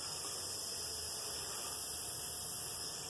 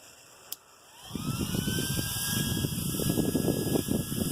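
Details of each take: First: Small RC car cooling fan, used on many cars and packed with dirt, run on a AA battery pack with an on/off switch: a steady high airy whirr with an uneven, rough edge, yet it still runs. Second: Small 30 mm RC turbo cooling fan for a Yeti, run on a AA battery pack: click, then a whine climbing quickly into a steady, even high-pitched rush of air; healthy, strong high-output fan.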